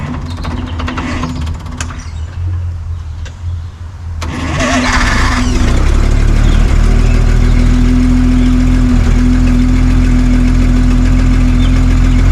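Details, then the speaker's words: 1962 Hyster Pioneer 60 forklift, cold start after Zenith single-barrel carburetor rebuild, choke worked by hand: cranks, catches and settles into steady even low idle, no knocks or stumbles; runs like a top. "we need this to say it does run and it runs like a top so you'll see this again"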